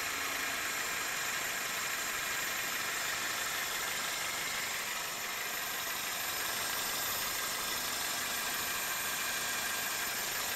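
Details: 2002 Toyota Corolla at idle: constant high, hissy whir with light irregular chatter, first thought to be the alternator; radiator shaking. The cause turned out to be a weak belt tensioner pulley leaving the serpentine belt too loose; replacing it helped.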